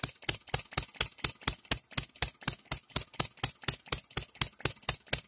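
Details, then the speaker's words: Engine DIY three-stroke model gas engine run on ethanol fuel premixed with oil and oiled with straight 30: crisp, evenly spaced pops at about four per second; it tries to die but catches and keeps running properly. "wow guys this is probably the coolest thing I've seen in quite a while it tries to die but it it catches"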